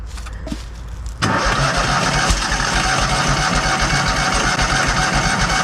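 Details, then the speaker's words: Kohler engine on a Hobart 10,000 W welder generator: steady cranking chug about four beats a second, no catch; owner suspects too little fuel after pumping much out, or the pump not priming. "maybe I pulled a little bit of fuel up and maybe it's going to Prime I don't know foreign maybe I don't have enough in it I mean I had to pump out a bunch of fuel but I thought it actually would be enough"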